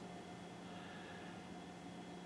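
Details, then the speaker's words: Digital Projection E-Vision WUXGA 6800 DLP projector at power-on: only a faint steady low hum with thin whistling tones, fans never ramp up and no color wheel spin-up; bad chip on mainboard, not repairable. "see I don't hear any of the fans coming on definitely didn't hear the color wheel spin up"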